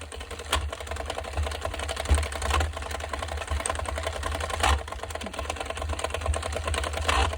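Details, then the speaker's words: Sentro 22 knitting machine cranked with yarn: rapid even clicking broken by louder clacks as the drive slips and skips; worn internal plastic gear suspected, replacement gear and handle set to be fitted. "what I've heard people say is that the plastic gear on the inside wears down so much that it just starts slipping um that it has nothing to grasp onto"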